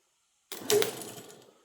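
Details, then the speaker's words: Starter for a 1936 Ford BB truck, tested on the bench after a spray of penetrating oil: a short sharp clack as the drive gear throws forward and engages, then a brief fading whir. A healthy starter, unlike the previous one, which did not engage. "see that it threw it forward so it engaged and like I said the other one was not engag engaging give that one more shot so that works success"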